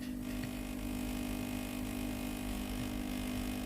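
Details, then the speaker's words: Philips GC9622/20 steam iron, no steam output: water pump runs with a steady low electric buzz but pumps no water from the tank into the boiler; boiler heats normally; faulty water pump, fixed by replacement. "ลำดับต่อไปคือได้ยินเสียงตัวปั๊มน้ำครับปั๊มน้ำจะต้องสูบน้ำจากแทงน้ำนะครับเพื่อเข้ามาในส่วนของตัวหม้อต้มนะครับเข้ามาในส่วนของตรงนี้นะครับแต่ตัวนี้นะครับผมปั๊มน้ำสูบน้ำแต่น้ำไม่เข้าในส่วนของตัวหม้อต้มนะครับไม่มีน้ำออกมาเลยครับ"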